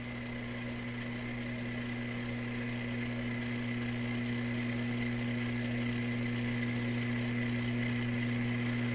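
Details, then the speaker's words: Loewe Opta Type 5966 tube receiver under repair: loud steady low hum with buzzy overtone, traced to the B+ line; drops when the record-player (stereo) button cuts the radio section; capacitor replacement brought no change, source still unknown. "Wow, okay, there's a very distinct hum. So again, the hum is on the B plus line."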